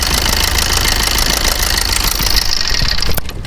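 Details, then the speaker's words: Maruti Suzuki Swift/Dzire with engine noise, recorded near the engine at idle after restart: fast, uneven light ticking over a busy idle; worn bearing, seized thrust washers and damaged valvetrain found on teardown. "Start कीजिए इतना घटिया कितना गंदा आ रहा है साउ म चलाने का नहीं होता"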